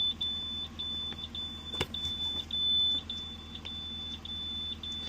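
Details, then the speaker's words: International 4400 DT466 no-start with key on, engine not running, IDM under-voltage codes: shrill buzzer keeps chirping, consistent with the ECM losing power; the cause was a melted fuse, which was repaired and the truck then started. "This ignition circuit, sorry for the buzzer, can't make it stop."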